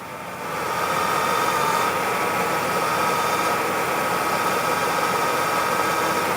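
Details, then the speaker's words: Engine idling after a power steering fluid change, with the wheel turned back and forth. Smooth, steady idle with no rising whine or groan; the air is out of the system. Finding: normal power steering pump. "So you can hear the power steering pump sounds normal now I'm going to turn the steering wheel back and forth, and we'll see if it still sounds good"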